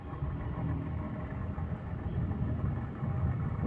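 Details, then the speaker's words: Indoor air conditioner unit running: low, rough rumble churning unevenly under the airflow instead of a smooth hum, apparently from the fan motor; loose fan motor bearing. "Nah kita Nahin sobat ada suara kemrosok nih 10 suara kemresek ini kelihatannya eh di bagian motornya"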